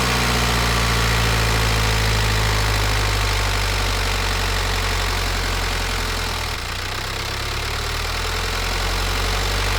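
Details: Warm (87°C) diesel with piezo injectors revved to 1500–2000 rpm, microphone at engine: steady hum with regular injector tick keeping pace with engine speed; normal, not a sign of bad injectors.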